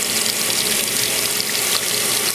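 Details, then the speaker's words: GE top-load HE washing machine with lid lock modified, small load of clothes and soap, filling: steady hiss of water rushing into the tub with no buzzing, knocking or hammering; normal water fill. "just some random clothes in there. And I'm going to let this cycle. There's, just low amount of clothes, some soap in there. I'm going to let it fill up."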